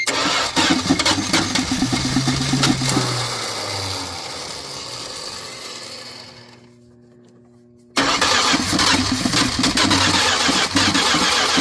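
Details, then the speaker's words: 1979 Dodge truck sitting over 10 years with an engine problem, first start attempt with gasoline poured in, possibly not picking up fuel: rough, uneven running with fast clicky clack clatter, dies down then picks up; internal engine clacking. "You can kind of hear that clicky clack clack click."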